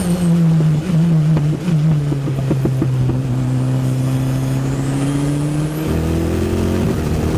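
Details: Engine under load in 3rd and 4th on an Anglesey sprint run, after a corroded cylinder-head core plug water leak was fixed: stuttering note with irregular pops before smoothing out; chronic misfire, later cured by engine rebuild with new plugs and coil packs.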